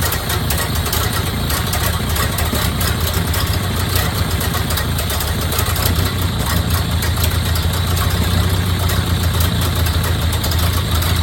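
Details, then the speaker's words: 1929 Ford Model A Tudor rebuilt engine finally running after 40+ years sitting: steady, even low idle with a soft regular beat, no knocks or misses; purring smoothly, healthy. "[Engine idling smooth] [Yay!] after 40 years sitting... Purring away."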